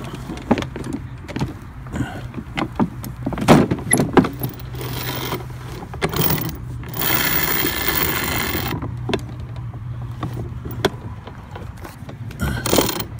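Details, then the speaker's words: HART Ryobi 40V brushless 20-inch self-propelled mower (HLPM021), won't drive forward: sharp irregular clicks every half second over the whirring motor; drive gear skipping, not fully engaged, owner suspects loose or binding plastic engagement handle pulling the cable. "it's missing the gear it's got to be remember that was clicking before something had to come loose"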